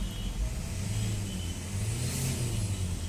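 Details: Renault Duster diesel with Delphi ECM, after the water-damaged ECM was replaced with a new unit and coded (before: no acceleration, stuck at 850 rpm idle, injector fault code). It picks up and revs smoothly with an even, steady tone and no stumble or misfire. Healthy, normal revving.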